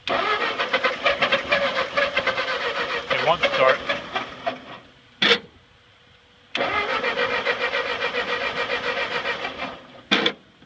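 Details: Ford 8N tractor that sat at least 4-5 years, first start attempt with fresh gas, carburettor drained and choke used: two long cranking bursts with weak sputters that never catch. Cranks but won't start; a fuel drip is also present.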